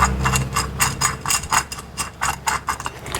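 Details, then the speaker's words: Old front wheel hub from a B-series Ford Falcon (BA/BF), spun by hand: gritty, lumpy rasp pulsing with each turn, while the new hub spins silently. Worn wheel bearing. "that was your noise. If you're wondering. That is now rubbish."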